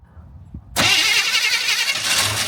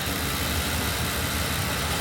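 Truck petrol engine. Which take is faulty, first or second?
first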